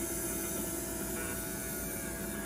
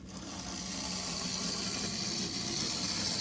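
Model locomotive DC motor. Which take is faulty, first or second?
first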